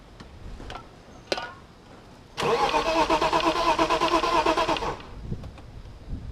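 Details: BMW 325is cranking evenly for about 2.5 seconds with rhythmic compression pulses but never catching, while the fuel pump fuse is being checked; someone mentions the pistons. Cranks but won't start.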